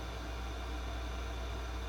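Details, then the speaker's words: Harman Kardon 75+ receiver before overhaul, phono selected with no input, heavy DC on left channel and likely leaking capacitors: steady low hum under faint hiss, scratchy volume control; hum with no input, cause not yet found. "let's listen to the background noise it's quite noisy volume's a little scratchy trebles clean base is clean got some hum there"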